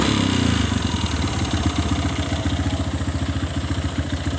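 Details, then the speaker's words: Kawasaki ZX motorcycle engine at idle, rapid even clatter about three to four knocks a second, not very loud at idle but very loud when revved and released; knock from inside the engine. "langsam suaranya ndak terlalu keras tapi saya kalau gas saya geber langsung saya lepas gas Suaranya sangat keras ya adanya di dalam suara mesin sini"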